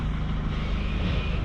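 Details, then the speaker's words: Rat-damaged salvage 2018 Mercedes E220 diesel after chewed wiring was repaired: steady low diesel rumble with an even beat and no knocks or misses as it goes into gear and drives; running smoothly. "it's that's it it's gone into gear and it's moving i'm gonna take it down let's see if it drives guys"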